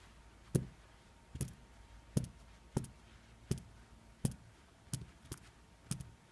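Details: Xiaomi Mi4C phone: uneven light ticks with no steady rhythm from the upper housing, apparently a loose internal part, also suspected of distorting call audio from the earpiece; cause suspected, not confirmed.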